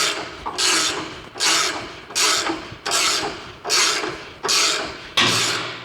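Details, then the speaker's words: Race car chassis front jack bolt being turned under heavy pressure gives repeated harsh rasping strokes about once a second and clicking as it moves, binding from jack bolt misalignment. "All right, so I'm just going to compress this, and you can see eventually you can hear that clicking. That's when it's moving."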